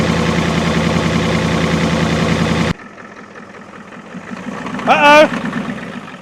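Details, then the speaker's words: 1989 Ford F250 7.3L IDI diesel that sat 6 years, on starting fluid: rough uneven running for under three seconds, then it stalls. Owner suspects air in the fuel lines, not taking fuel. "yeah apparently we ain't getting we still got air in the lines is what's wrong I can't understand why it's not taking fuel"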